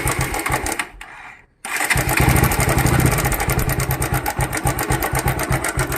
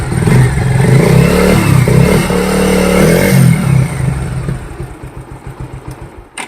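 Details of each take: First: Bajaj motorcycle after restart: loose, uneven ticking rattle about four a second over the exhaust; slack timing chain, fixed by resetting the tensioner so the chain tightens automatically. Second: Bajaj motorcycle after timing chain noise repair: single revs up with a crisp, even exhaust beat, then settles and dies away with no top-end rattle; now smooth, unlike before.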